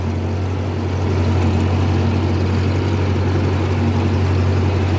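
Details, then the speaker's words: 1950 Ford 8N tractor, four-cylinder converted to 12 volt with a new starter, running after a whole new carburetor cured start-and-die fuel starving: deep, steady drone with even beat, no misses or stumbles; runs cleanly and well. "so as you can hear we got it running really good I'd say this is a success"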